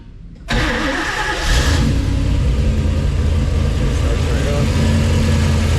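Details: 1962 Ford Falcon with 306 (302 overbored) V8 on Holley Sniper EFI, custom long-tube headers, Flowmaster exhaust; quick crank and catch, then deep steady even idle with smooth burble — starts great, runs healthy.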